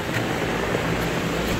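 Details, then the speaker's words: Universal condenser fan motor newly installed in an Armstrong unit, rewired to factory three-wire with the capacitor back in place: smooth, even airflow rush with no rattle, squeal or wobble; quieter than a Goodman, running normally. "however it is a lot quieter than a Goodman this Armstrong unit butter sounds good looks good"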